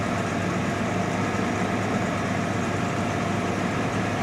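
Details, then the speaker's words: 1987 Jaguar XJ6 just restarted after rat damage: steady, even idle with smooth low drone and no knocks, misses or ticks, oil pressure 40; idling perfectly. "That's really good. She's idling perfectly."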